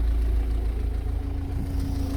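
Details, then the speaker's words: Car after O2 sensor work, idling about 15 minutes, nearly at operating temperature: a low, even rumble with no knocks, misses or ticks, no engine warning light, and the manifold smoke gone; normal warm idle. "okay right so she's been ticking over for about 15 minutes almost up to temperature oil started to move so she getting up temperature still no sign of engine any engine warning"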